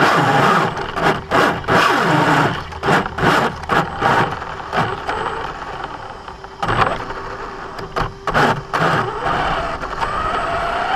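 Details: Brand-new Basher Nitro Circus 4x4 1/10 RC truck on a 3S 4000mAh battery: harsh gritty grinding in short bursts each throttle blip, suggesting gears chewing under load. Only when accelerating, not in reverse or off the ground. Gear mesh adjustment didn't fix it.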